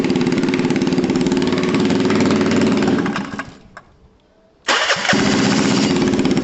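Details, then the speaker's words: Gilera DNA 125 scooter fired up after the forgotten spark plug cap was refitted, running with no exhaust fitted: a loud, raw, rapid rasp straight off the port that dies away, refires and picks back up. "cool we know that one's fine obviously we need an exhaust order and exhaust"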